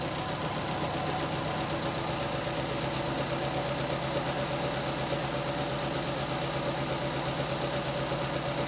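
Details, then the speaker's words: Nissan Sentra 1.8 with one cylinder dead: an uneven, loping idle with a soft repeating stumble, shaking and lacking power. Ignition coil and spark plug are ruled out; the injector gets no activation pulses, and a broken wire to the computer is suspected. "inyector bueno Y así es como supe que no tenía yo las la señal o los pulsos de activación de ese inyector"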